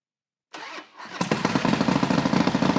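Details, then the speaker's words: Harley Dyna stunt build, freshly built engine started before break-in, base map only, no diagnostics: starter whir, then V-twin catches and holds fast steady lumpy cold high idle around three beats a second; strong and healthy. "foreign well I don't know about you but I think that sounds pretty mean so obviously we've just got a base map in here"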